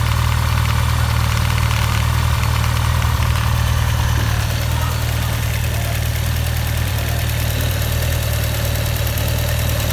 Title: 2016 Honda CB1100EX Abnormal engine noise